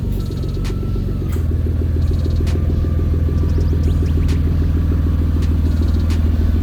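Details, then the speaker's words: Toyota 2JZ-GTE, about 80,000 miles, run on E50 mix after sitting: low uneven stumbling idle, misfire and breaking up under boost traced to original cruddy spark plugs. "these are the original spark plugs that came with the car that is why it was breaking up big time under boost spark plugs were all cruddy"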